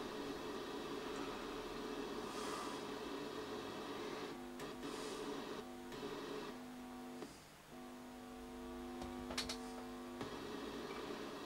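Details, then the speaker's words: 1967 HMV Stereomaster 2328 right-channel amplifier: low steady hum with thin rough hash that drops and returns as the circuit is probed; noisy channel, suspected faulty transistor, unconfirmed. "It's that transistor there, I bet. Oops. It's loud here."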